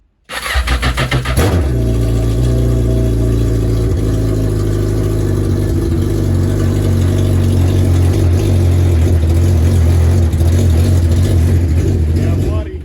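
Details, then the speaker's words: Yamaha GP1200R jet ski converted to GP1800R engine, first proper start after install: engine catches after brief cranking, then settles into a loud, deep, even rumble with steady firing, no misses or knocks; runs normally. "This thing runs awesome. Dang. This thing is rowdy."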